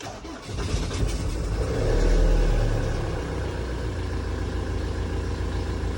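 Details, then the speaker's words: Mk6 Ford Transit 2.4 diesel, first cold start of the morning after fixing a long-crank no-start problem: short crank, catches quickly, steady even idle; a worn pulley bearing is noted. "and it starts other than an annoying bearing gone on one of the pulleys it don't sound too bad"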